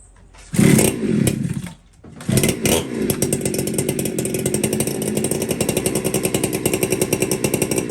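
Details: Warm chainsaw, air cleaner cleaned, low jet reset to one turn out: catches after a few pulls and runs a fast, slightly ragged idle. Uneven low-speed running; suspected the low jet is a little lean and starting to starve for fuel.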